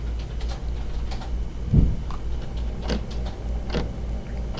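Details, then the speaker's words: Orion DPL xx16G telescope mount azimuth slew motor: low hum with sharp clicks at a steady interval, about one per second, tied to motor rotation; elevation motor at same slew speed is silent; causes non-smooth azimuth tracking. "where you can clearly hear it clicking and it's clicking in a repeated pattern that is it's not it doesn't click and then a random amount of seconds then click again it's a steady interval in between each click which tells you that it's related to the rotation of the motor"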